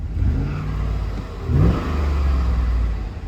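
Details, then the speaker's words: 2000 Chevrolet Suburban after fitting a new battery, with oil pressure and no check engine light. An even idle picks up cleanly on a short rev and settles smoothly, with no knocks or misses. Normal running. "Oh, it sounds good, too."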